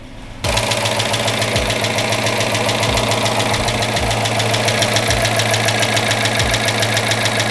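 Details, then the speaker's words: Rebuilt Chrysler Hemi 5.7 in a Chrysler 300 at first start after rebuild: light rapid ticking, roughly three to four a second, over a steady idle; heavy lifter tick expected to go away, engine otherwise running decent. "Now you may be able to hear a bit of that lifter clatter happening right now. But overall, seems to be running decent."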